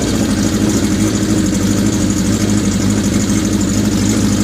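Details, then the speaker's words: 1981 Kawasaki GPz550 four-cylinder, first start after frame-off restoration and engine teardown, not run since 1994: even, steady idle burble with no crank knock or valve tick; healthy, owner thinks carbs may need syncing. "this time no weird noises from the crank nothing weird happened as far as valve Bart slugs or anything else"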